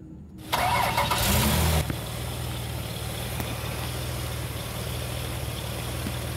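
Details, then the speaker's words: 1999 Ford Windstar 3.8L after realigning the slipped harmonic balancer weight: starter whirs, engine settles into an even low idle with no shake or knock; idle slightly off from an unresolved check engine fault, but it runs smooth. "We are just below that tab, and the idle's off just a little bit because of whatever's causing the check engine light, but you can look and see how much smoother the engine is moving. It's not shaking anymore."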